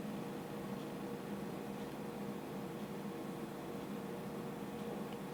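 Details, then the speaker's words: IBM PS/2 Model 80 powered up after months in storage: only a steady fan hum, with no hard drive spin-up whine. The drive fails to spin, and the owner suspects stiction or a loose cable. "uh-oh uhoh I only hear the fans going that's not good honest guys this is a this is actually raw footage I'm not uh I didn't plan this but my hard drive isn't spinning"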